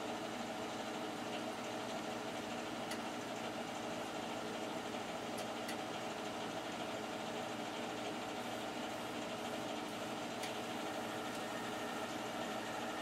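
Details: Boiler only a few years old, side-vented, first start of heating season on a cool morning, draft blower on. Soft steady hiss and low hum, perfectly even, no knocks, rattles or surges; very quiet, normal running.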